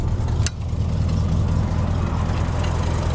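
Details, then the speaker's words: 1992 Ford Ranger with a 5.0L 302 V8, 94,000 miles: a deep, lumpy idle with a faint, uneven puffing tick on the rumble; there are leaking exhaust headers, "a header leak or two or eight". "it's got a header leak or two or eight definitely hear the header leaking"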